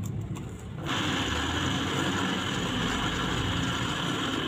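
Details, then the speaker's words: Water pump after worn rotor shaft repaired and bearing made to grip the shaft firmly, test run before fitting seal and impeller: motor starts and settles into a steady even hum, no knocking or grinding; pump running healthy. "pada akhirnya kemudian laher As atau rotor as sudah bisa dikondisikan ya Bapak Ibu sekalian"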